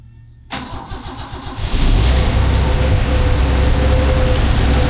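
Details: 1977 Holden HX that previously only idled high on choke, after swapping carburetor parts including float bowl and throttle pump spring: cranks briefly, fires, settles into a steady, even low rumble without stumbles; running much better.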